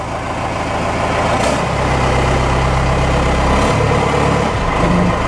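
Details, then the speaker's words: Ford F150 with Cummins 6BT swap, after front-tank fuel system work (fuel return, new gaskets and hoses, no leaks, about a quarter tank): rough-edged diesel idle clatter with faint turbo whistle and small revs, no smoke, engine shakes truck. Normal diesel idle. "sounds like a baby for uh 6bt"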